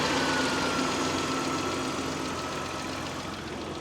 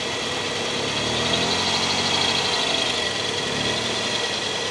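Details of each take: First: Mitsubishi 3000GT, drive belt chirp and squeak, after belt retensioning, with the alternator suspected slightly misaligned; steady idle with an even hum and no chirp or squeal, unloaded, so not yet verified on a drive. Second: Mitsubishi 3000GT idling after several minutes of running, with belt and pulley trouble since an alternator replacement; quick high chirps from the accessory belt persist despite three retensions and an alternator realignment. The cause is still unknown to the owner.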